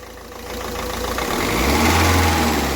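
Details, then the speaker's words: Ford Figo engine after repair of DTC P0203 injector circuit fault, which had caused knocking, hunting, pickup problems and a missing cylinder 1. Steady, even clatter rising smoothly with a light rev, no knock or missing; running clean. "ठीक है कोई इसमें कड़कड़ नहीं कोई इसमें engine में missing नहीं एक साथ लेके चल रहा है"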